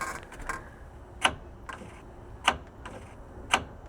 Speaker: You hear that? It's like the gear moving in and out.